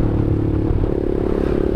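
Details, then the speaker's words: 2016 Honda CBR 150R facelift riding, recorded on an action cam with an external mic: loud rattling whir steady with road speed from the noisy stock chain and sprockets, louder than the standard exhaust; owner says an aftermarket gearset fixes it. "Entah kenapa gear bawaan sama rantai bawaan CBR 150R ini berisik. Kalau suara knalpot standarnya itu kalah sama suara rantai sama gearnya."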